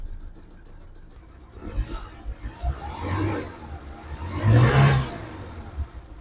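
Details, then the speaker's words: 2006 Suzuki Carry 1.0 pickup, dry engine, black oil not mixed with coolant: steady low idle rising into two clean revs and settling back, no knock; engine normal, perhaps slight adjustment needed, no white exhaust smoke. "ini sebenarnya mesinnya normal tidak ada kendala kemudian suara dari metal juga aman tidak ada yang jelas ini mungkin sedikit perlu styap"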